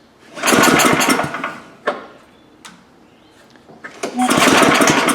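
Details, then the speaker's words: Gravely power brush sweeper, unrun 10 years, after gas was dumped down the carb: it screams to life on one pull in a loud ragged run, dies, then catches again; spark is confirmed, so the carburetor bowl is probably clogged and the carb must come apart. "Bowl is probably clogged with stuff. Yeah, the carburetor's going to have to come apart."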